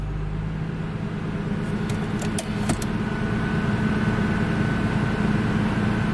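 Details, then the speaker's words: Original Nissan Skyline R33 GTS-T Type M with 67,000 original km: a few key clinks, then the engine settles into an even, steady idle with no knocks or misses; sounds healthy. "this is so good this thing's so good"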